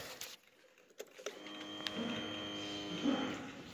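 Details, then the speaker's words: Machine after its fuel pump recall fix, as the pump used to run all the time: a thin electric buzz for about two seconds, then a clean cutoff. The fuel pump primes and stops as intended; it runs well, though the engine light stays on. "Yep, fuel pump shut up now. That's that. Runs pretty good."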